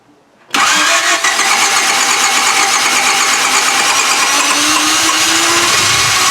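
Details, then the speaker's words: 1995 Honda Civic EG, manual, newly replaced starter: silence, then the engine catches at once and settles into a steady, even run with no misses; starts and runs, original cause unknown. ">> so we have no idea what was wrong, but the car is running again. Sounds good to me. >> It's totally fine. Start up so fast."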